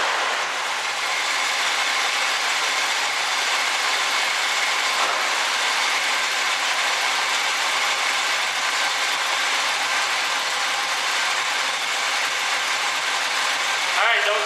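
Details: 1967 Chevrolet Camaro barn find after fuel pump work: engine fires and settles into busy even run with fast mechanical clatter, no misses or knocks; running fine now.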